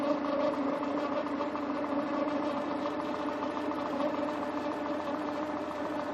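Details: 2000/2001 Peugeot 206 1.4i petrol: steady high turbo-like whistle over the engine, even throughout; no warning lights, temperature normal up to 90°, cause unknown.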